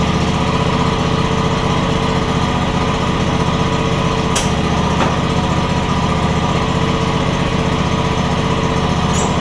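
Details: John Deere X300 mower after control module replacement for a no-spark problem; runs great. Small single-cylinder engine holds a steady, even beat, no misses, surging or hunting: normal running.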